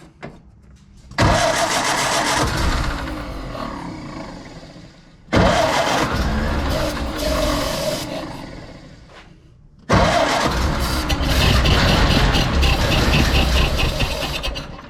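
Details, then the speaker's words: 1931 Ford Model A, inherited car: three cranking bursts at about two and a half turns per second with no firing; it cranks but won't start, and no gas reaches the clear filter or carburetor, with the pump suspected. "there's nothing happening in that I don't see any fuel going into it unless the"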